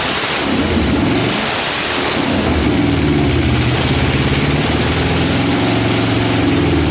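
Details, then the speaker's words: Junkyard-sourced 1977 Dodge RV 360 V8, test-run out of the vehicle on the ground after pouring gas down the carb: rough, loud rumble surging and revving after catching, no knock or clatter. It backfired once. Normal running for a junkyard engine. "don't sound too bad for an old junkyard motor somehow the starter wants to start spinning but she don't sound bad for an old junkyard motor hey that ain't bad at all"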